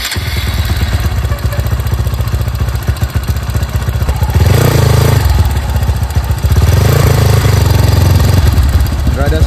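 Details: Bored-up Honda CRF supermoto single, camera mounted low, freshly washed: a steady thumping idle with two short throttle blips and no droning hum over it; sounds healthy, while the owner notes the drone usually appears when releasing the clutch.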